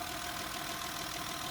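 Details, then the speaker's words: 2009–2015 Honda Pilot 3.5 J35 V6 at about 96,000 miles, just after replacing valve cover, VCM and VCP solenoid gaskets, the PCV valve and the intake hose, jump-started: quiet, even idle, smooth hiss, no ticking or knocking; normal idle. "Holy smokes, it runs. It's under the hood. Sounds good."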